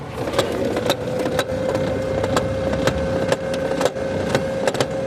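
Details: Brother DCP-2540DW laser printer: steady motor hum with irregular clicking from the upper gear as the paper stops at the exit, after clearing jammed sheets including one in the fuser.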